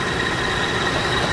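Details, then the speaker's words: 2001 Toyota Avalon 3.0-litre V6 with 366,000 miles, idling with the hood open: a smooth, even idle with a steady hum and no knocks, ticks or misses. Running normally. "And listen to how good she runs. Don't be afraid of a high mileage one."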